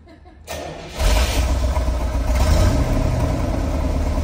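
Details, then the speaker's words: 1970 Chevrolet Corvette L46 350ci V8, four-speed manual, refurbished 2002: cranks half a second, catches on the first try and settles into a deep lumpy idle; quiet, no smoke, no pinging or lifter noise. "car runs really good and it's quiet as you can hear you don't hear any uh any engine noise no pinging no lifters w battling"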